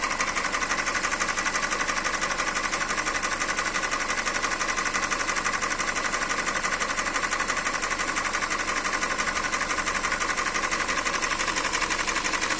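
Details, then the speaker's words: 2013 Hyundai Elantra 1.8 engine idling: crisp, very regular tick-knock near three beats per second over the engine; engine knock, cause unknown. "Hyundai Elantra 1.8 мотор. Стук двигателя."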